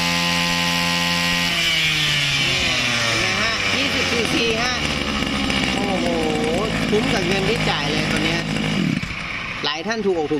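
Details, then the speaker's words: Used Japanese Tanaka CB20HT 20 cc two-stroke brushcutter with auto choke, on premix fuel, started easily: settles into a steady buzzing idle, then revs up and down cleanly without stumbling, healthy. "แล้วลองสตาร์ทดูเครื่องแน่นเลยติดง่ายเห็นไหมฟังเสียงครับ"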